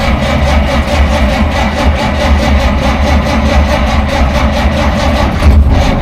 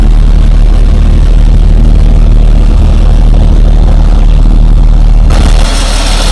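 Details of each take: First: 1947 Dodge, carburettor engine reluctant to start after fuel supply problems; choke linkage faulty with butterfly sticking: low uneven chugging that keeps turning over but never catches cleanly; flooding from punctured carburettor float. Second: 1947 Dodge, warm after carburettor work, previously reluctant to start even warm; cold start still to be tested: steady even low idle, smooth rumble, no misses or knocks; normal warm idle.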